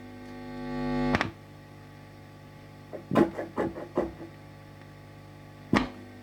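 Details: 1968 Twin amplifier with an intermittent bad contact: low buzzing hum swells and stays faintly under plucked notes, rising when probing the transformer common and ground points; mains hum, cause uncertain, shielding suspected.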